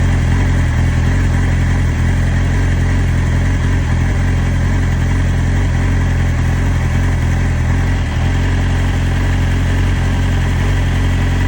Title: 2012 Yamaha YZF R6 Rough idle? New coils, new plugs, good timing. rebuilt engine. Reason for idle?